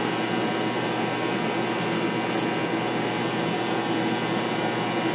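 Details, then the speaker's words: Shop phase converter running after new bearings were fitted: smooth steady hum with even whir and no rumble or rattle, sounding healthy; an initial buzz was possibly a contactor not kicking out. "anyway up and running hopefully they'll see it in quiet down even a little bit more but that that actually sounds pretty good"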